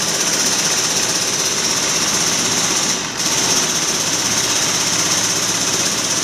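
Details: 2013 Maruti Dzire diesel idling rough and clattery with an uneven stumbling beat, code P0201; injector 1 wiring to ECM found cut, no continuity, one cylinder dead.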